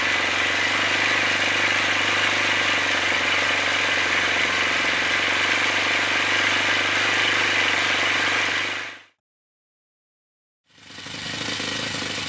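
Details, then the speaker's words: Old OS FS60 10cc four-stroke model engine before its worn main bearings were replaced: steady high-pitched buzz at constant speed with a harsh, rattly edge throughout, then cuts out; worn main bearings. "to conclude this episode this is how the engine sounded before change the main"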